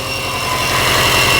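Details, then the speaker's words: 2008 Subaru WRX, first start after long storage: lumpy uneven pulsing with a shrill whine, running rough, smoking as the popped alternator belt burns; alternator belt popped off. "Acted like it did not want to go. That thing's making some noise. Oh, the alternator belt popped off. It actually starts up and runs. Nice."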